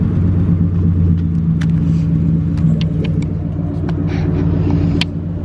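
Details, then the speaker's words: Ford Crown Victoria on 28-inch wheels, being revved. Deep V8 note with a slightly uneven, skipping beat, which the owner blames on an exhaust leak that also dulls the note. "guys sound like that she's skipping a little bit but it's just because of that exhaust leak it tones down the note a little bit"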